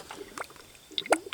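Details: 1999 Honda Accord V6 EX, about 160,000 miles, engine cold and off, cylinder two pressurised to about 75–80 psi: quiet, irregular gurgles and pops as air bubbles into the coolant at the radiator, confirming a blown head gasket.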